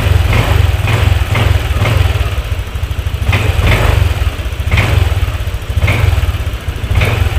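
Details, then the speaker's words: Honda Vario 150 scooter running after a rusted spark plug cap, whose spark possibly leaked outside instead of into the plug, was found to be the fault: smooth steady low beat, no stumbling or popping; throttle and starting fine, brebet cured. "Dan untuk gasnya juga enak, sudah nggak berbet lagi, dan ketika dihidupkan ya itu udah enak, jadi nggak kayak tadi itu susah"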